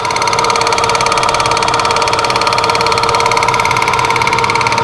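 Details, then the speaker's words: Monarch CK12 lathe at 53 rpm spindle speed, first run after acquisition: steady drive hum with fast, fairly even light clicking about two per second when the clutch is fully engaged, gone when clutch lifted slightly; cause unknown, maybe adjustment. "there's a clicking noise when the when the clutch is fully engaged but if I just lift on the clutch just slightly that clicking will go away so I don't quite know what that is"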